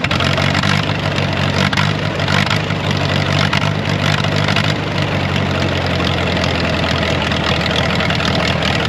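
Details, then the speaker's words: Ditch Witch R40 with Wisconsin V4 after the Hot Spark electronic ignition conversion and a new ignition switch: loud small-engine idle rising and falling as the distributor is turned because the timing is off, set by ear without a timing light. "let me try that again listen to this whoa I know that timing's off I'm gonna move it okay let me try this to move the distributor"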